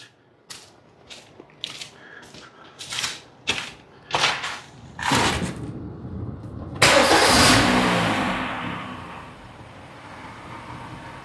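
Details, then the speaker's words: 2010 Kia Forte after heater repair and battery disconnect, P0106 cleared: a few short key-on bursts, then the engine catches cleanly and settles into a smooth, even idle with no stumble; check engine light off. "now I'll start it up a couple times but that appears to have fixed it"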